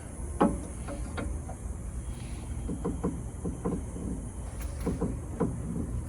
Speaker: Okay, so we replicate the noise, and it is the sway bar or sway bar link. That's the sway bar link right there. Okay, so sway bar link's making that noise.